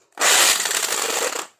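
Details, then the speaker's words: Electric drill powered on before repair: brief burst with a harsh, hissy internal rattle and no clean motor hum, and the chuck wobbles off balance. "इस दिल के अंदर से बहुत जोर से आवाज़ ए रही है और दिल के चक्कर भी बैलेंस गड़बड़ है"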